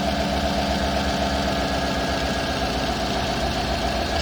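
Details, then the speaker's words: 2018 Chevrolet Suburban LS V8 after overheating, suspected head gasket, melted intake near cylinders 6 and 8, just started: steady idle with fast faint ticking puff about four per second over the engine note, an expected exhaust leak. "It's on. I have an exhaust leak just like I expected. But other than that, I don't know, but it sounds... I don't know."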